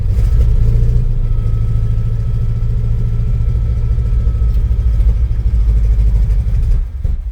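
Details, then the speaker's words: 1971 Chevrolet C20, 350 V8, sat at least a year. The engine catches and runs rough and uneven for several seconds, then sags and dies. Debris shows in the fuel filter, the owner judges the gas stale, and plans to dilute it with fresh fuel. "Well, the uh fuel filter is starting to get something in it, but you can tell [sighs] that's not good gas. I think we're going to have to find some fresh gas for this."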